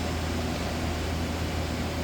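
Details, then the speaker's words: Okuma Captain L470M/1250 CNC turning center with live milling: spindle run at 500 rpm, then stepped 600 to 1,000 rpm; steady, smooth, quiet hum with even airy rush, no knocks, grinding or whine; healthy spindle. "And then I'll step it up to 1,000, 600, 700, 800, 900, 1,000. Nice and quiet."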